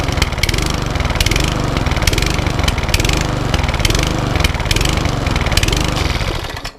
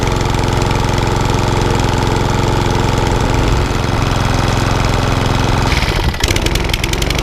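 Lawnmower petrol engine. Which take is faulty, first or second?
first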